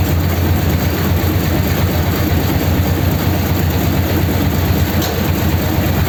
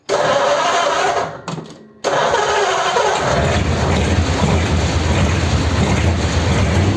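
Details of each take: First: 286 cu in flathead (3-3/8 in bore, 4 in stroke), first start with the truck's distributor fitted: deep, steady rumble at raised fast idle with an even low beat, no knocks or misses; normal fast idle. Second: First start of a freshly built 286 cu in flathead (3-3/8 in bore, 4 in stroke) Pendine beach race car on raised fast idle: it runs rough and uneven with popping backfires because the number three and four plug leads were swapped.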